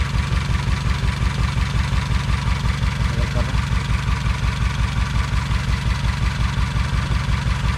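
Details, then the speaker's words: 2007 Honda Civic with a very shaky idle and a cylinder misfire code: the idle thumps unevenly about three times a second, a steady lopey stumble. Misfire; the ignition coil is suspected, as it usually fails on these Hondas, with spark to be checked before replacing parts. "usually the coils go bad and these Honda's we're gonna check it out before we start replacing parts"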